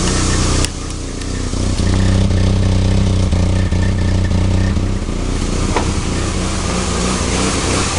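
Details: 1991 Nissan 240SX, KA24DE petrol four: uneven, loping idle with irregular dips in the exhaust note. Rough idle, cause not yet found.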